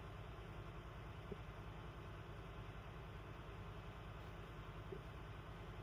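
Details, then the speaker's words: Class A truck diesel idling during pre-trip governor test, compressor charging from 90 psi cut-in to 125 psi cut-out with throttle applied: steady low rumble, even beat, no knocks; compressor building air normally. "Here the governor kick in. I'm going to apply the gas. RPM between 10 and 50. When I reach 125 psi, the governor kick out."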